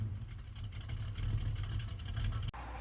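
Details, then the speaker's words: Dodge Dart V8 project car fitted with a 650 CFM Holley race carburetor, revved; the owner says it picked up power. A deep, throaty rumble holds strong and crisp through the revs with no misses; it sounds healthy. "So, man, this thing sounds wicked now. I bet this thing rips."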